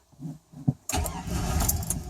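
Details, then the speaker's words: 2000 Chevrolet Silverado 1500 Z71 with failing fuel pump, about 12 psi versus 55–62 specified, fresh battery; slow cranking, fires and stumbles briefly without idling, crank no start from low fuel pressure. "It fires, but it just doesn't run, obviously, because of the fuel pressure."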